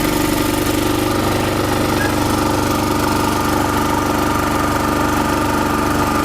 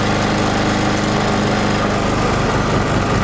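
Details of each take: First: Chinese generator converted to propane, about 50 kg, with the mixture enriched by a screw and then loaded with a 1–2 kW heater, holds a steady, even drone on propane with no surging or stumbling. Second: Chinese generator, about 50 kg, converted to propane: while carburettor petrol runs out and propane is opened slowly, the small engine runs rough and loses its steady beat, bogging from an over-rich mixture.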